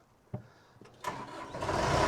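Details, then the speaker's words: Case 430 after installing a new starter, the old one's brushes having crumbled; short crank, quick catch, then steady diesel run; clean, healthy start. "Woo! Fires up nice."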